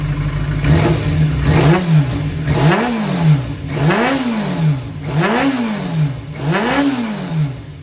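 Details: Kawasaki ZRX400 (ZR400E) inline-four, start-up check: five quick blips rising smoothly and returning to idle, no knock, rattle or miss, no abnormal engine noise or white smoke; revs healthily.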